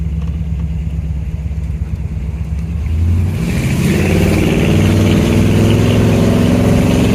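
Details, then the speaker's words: 1967 Chevy Caprice revived after 15 years abandoned, test drive after brake service; engine settles from steady idle into smooth even pull, revs rising cleanly, no misses or knocks; running healthy. "Sounds good. Runs good. Smooth."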